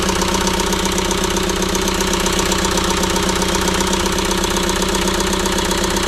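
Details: ~2006 JCB 180T compact track loader diesel running rough after swapping a suspect injector: uneven, lumpy idle beat around 2.5 pulses a second, like one cylinder isn't pulling; the problem did not follow the injector, so compression in that cylinder is tested next.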